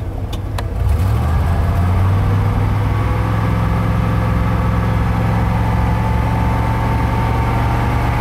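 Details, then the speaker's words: 1990 K3500 dually 454 V8 heard from the cab: low, uneven beat with occasional stumbles in the rhythm, a misfire the owner attributes to insufficient fuel; unconfirmed. "can you hear him missing that's because it's not getting enough fuel and now i'll show you from outside this isn't the best positioning but hopefully you'll be able to hear"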